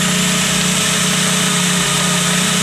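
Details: VW Gol G2 at idle: light, rapid tec-tec tapping over a steady idle that sounds like piston knock but is play in the worn water pump bearing/shaft.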